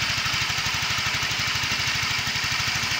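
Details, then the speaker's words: Yamaha Mio 125 scooter after replacing a faulty cam chain tensioner that caused a rough clattering noise: the single-cylinder engine idles smoothly, with an even low putter and no rattle or knock. "teman-teman Ya ini Pokoknya sudahudah jadi Sudah halus lagi e sesuai ekspektasi ya teman-teman ya pokoknya mantap"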